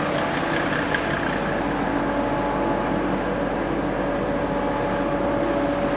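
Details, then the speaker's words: Mercedes W210 E300td diesel, stock apart from a fitted 7.7mm EDC injection pump and a new water pump, warm before a dyno run: a steady, smooth, even idle with a faint light crackle and no misses or knocks. "it starts and listen to how it's running it's really smooth it's spooky it sounds like a standard car maybe just a slight little bit more crackly"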